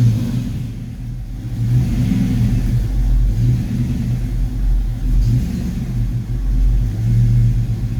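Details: Ford Foxbody Mustang V8 after a distributor swap: deep, uneven idle rumble that surges and sags; still running rough, cause not yet found.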